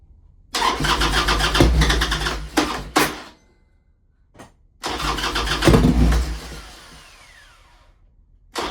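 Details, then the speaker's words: 1998 Harley-Davidson Sportster sitting 3 years, carburetor fogged with gas and 2-stroke oil: two cranking bursts with brief firing that never catches and dies each time; fuel starvation, carburetor not pulling gas, to be removed. "I fogged the carburetor with a little bit of gas and a bit of oil, 2-stroke oil, and it fires, but it's not pulling any gas."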